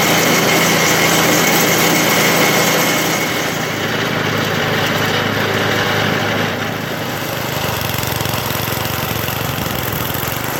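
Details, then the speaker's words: 1980 MTD SnowFlite 5-20 snowblower on a new carburetor, cold-started at about -12 after hours outside, clearing snow: even, steady small-engine drone that dips slightly under load and recovers; runs clean and healthy. "well I don't have too much bad to say about that that's no in front of the Skidoo is obviously kind of overkill for what this is meant to do but it uh plowed through it pretty good so I think it's ready to move on to its customer"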